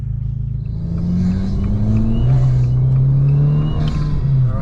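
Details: Turbocharged car with a newly installed Forge induction kit, plus new spacers and lowering springs, driven under acceleration. The revs climb with a rising tone and a light whistle and hiss of intake air. Normal turbo intake noise.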